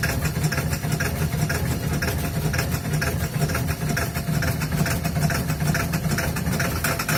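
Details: Ford 7.3 Powerstroke diesel at -35°C, third start attempt after glow plugs were cycled over two minutes and the block heater was plugged in overnight: loud, uneven clatter with ragged bursts and no smooth idle; owner has narrowed it to failing injectors.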